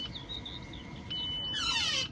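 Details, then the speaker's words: Audi A6 with no service history and worn-out rear brake pads: applying the electric parking brake gives faint chirps, then a sharp, high screeching whir of about half a second; owner hopes new rear pads will cure it. Electronic parking brake noise. "it's got a very annoying thing that is bugging the hell out of me. When you stick your parking brake on, you can hear that, it makes a"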